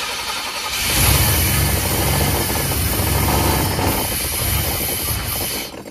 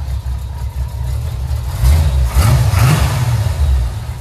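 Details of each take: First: 1989 GMC Sierra C1500, 350 small-block V8, auction truck, gas poured in: cranks and catches, runs rough and uneven for about five seconds with loud fan, then dies; no fuel feed, about 60 psi oil pressure. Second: Swapped-in V8 with at least 150,000 miles, probably about half the power of the original: deep rumble rising into a couple of blips and settling, steady firing without knocks or misses; runs good.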